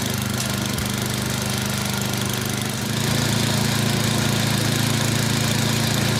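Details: Yard Machines 24-inch snowblower with Tecumseh 8 hp engine, hard-starting, after priming: catches and settles into a steady, even single-cylinder run with no knocks or misses; normal running.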